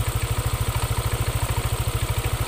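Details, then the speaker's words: Yamaha NMAX scooter with aftermarket bilet (projector) headlight: CVT runs smooth with headlight off, but switching the headlight on brings a steady rapid low knocking "otok-otok" rattle at idle from a broken variator pulley slider in the CVT. "Namun nanti ketika lampu bilat depan itu Saya nyalakan nah timbul suara otok otok otokoto"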